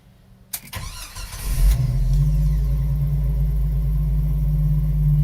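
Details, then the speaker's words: Restored 1995 Jeep Wrangler YJ, 6-cylinder, 111K miles, 5-speed manual, new fuel pump and injectors: a quick crank, then it catches and settles into a steady, even low idle with no knocks or misses; runs great, good oil pressure. "great. Really drives good. Look at the gauges. Good oil pressure."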